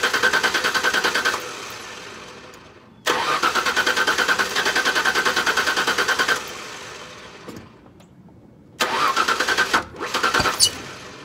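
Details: 1999 Mazda B3000 right after a new ignition coil was fitted, with plug wires placed 1/3/5 left and 2/4/6 right and the ground secured. Fast even starter cranking at about three beats a second over two tries, never catching; no start traced to the wrong ignition coil.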